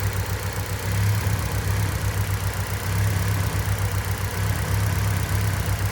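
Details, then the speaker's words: Mitsubishi Lancer 1.6 on petrol/LPG at idle after running briefly: low uneven lumpy beat with a dropped pulse every couple of seconds; cylinder 1 misfiring, coil removed for checking, with a faulty module found. "chwilę sobie popracował i już zaczyna kuleć na jeden cylinder"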